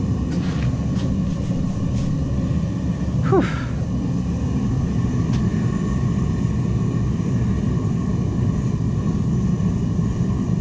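A steady, even low roar with no sputtering or popping; the burner is holding a clean, continuous flame.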